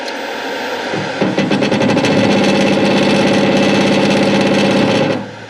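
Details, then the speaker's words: Hare and Forbes PHM-560MK2 power hammer after modifying the motor drive ramp-up time from 10.5 to 1.5 seconds: motor reaches full speed in about 1.5 seconds, blows start almost at once near 200 per minute, steady and even; normal fast ramp-up. "So we get that out of the way, and watch how much faster that ramps up in its RPM."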